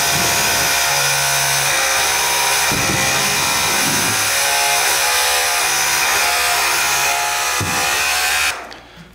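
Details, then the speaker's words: RC4WD Earth Digger 2 RC hydraulic excavator, pump running while the arm is forced against its travel to push air out the bleeder valve: loud steady whir with uneven surges and dips; air in hydraulic lines. "I don't know if you could hear but I'll be able to tell in the editing that I was pushing the arm back and forth in the opposite direction that it was trying to go to force that air out through this little bleeder valve."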